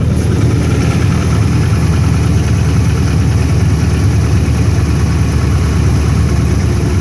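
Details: Cold-start idle of a 5.7 Hemi after sitting 4 days at 20°F: faint, fast, even light knocking over a deep rumble, which the owner believes is benign piston slap, not confirmed.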